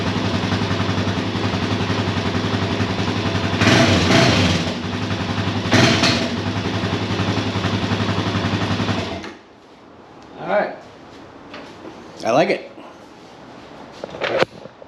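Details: Kawasaki KFX400 engine after starter clutch replacement: runs evenly for about nine seconds with a smooth, steady beat and no knocks or grinding, then shuts off cleanly.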